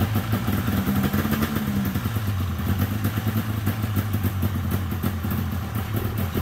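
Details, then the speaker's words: 1997 Polaris XCR 440 twin liquid-cooled two-stroke snowmobile, first start with premix poured down plug holes, weak spark, carbs not yet cleaned; busy crackly but even burble, no misfires, idling well: normal running. "sweet I don't even know if I'll have to pull those carbs apart it's idling it sounds good"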